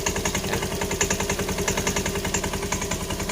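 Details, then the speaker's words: Honda Scoopy eSP scooter at idle: rapid, fairly regular clacking knock from the CVT; suspected worn or loose roller housing boss or worn sliders, not yet confirmed before disassembly. "ini munculnya itu dari sini teman-teman dari spicy ya Jadi sedikit dan biasanya ini ada dua masalah ada dua masalah Biasanya kalau tidak dari rumah roller atau Bos rumah loler itu udah oblak atau haus biasanya itu dari sisi slider ya guys"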